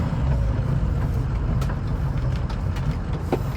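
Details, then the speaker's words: 2006 Ford F250 on the road with windows up, after replacing the cab bushings with Energy Suspension parts: only an even low road rumble over bumps, with no clunks or knocks; the only other noise is change rattling in the overhead console. "This side, ooh, I hear nothing. Cool."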